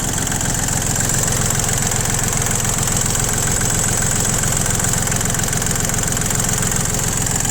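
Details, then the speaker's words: ISEKI TU275 four-wheel-drive three-cylinder diesel tractor with cab and 160 cm rotary tiller: steady, even diesel clatter at idle with a regular low beat, no stumbles or odd knocks; engine runs smoothly. "Достаточно ровно и спокойно работает двигатель."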